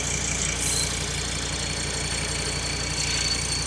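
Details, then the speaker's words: Salvaged Audi TT RS, 2.5-litre 5-cylinder petrol, at idle: steady high-pitched whistle/squeal over even idle, traced to the failing vacuum pump. "there it's vacuum pump yeah it's got to be yeah right there"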